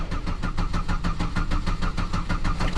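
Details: 2009 Buick LaCrosse, previously had a bad ignition control module: quick even starter cranking, engine never fires; crank no start, crank sensor shows no signal, found to be a failed crank sensor.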